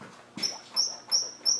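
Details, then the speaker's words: Land Rover 300Tdi diesel, glow plugs out, injectors unpowered, no vacuum or fuel pump: the valve is pushed down with a socket, giving four sharp high squeaks, one per push, from this one valve only; valve squeak, cause unknown. "definitely that it the others wouldn't do that why on Earth is it squeaking I don't know"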